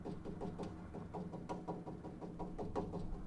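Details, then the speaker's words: Crew-cab Charger frame rail tapped near the leaf spring perch: uneven taps about three a second, dull low-pitched ones marking rust-weakened metal and brighter ringing ones marking sound metal; most of the rail judged good. "Hear the difference in pitch? That lower pitch is rust."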